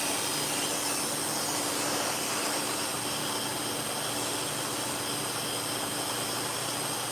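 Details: Freshly sharpened, cleaned and reassembled dog-grooming clipper blade run in to set the two blades together. Smooth, even high buzz with no rattle or chatter over steady shop-fan hiss; runs clean and quiet, normal.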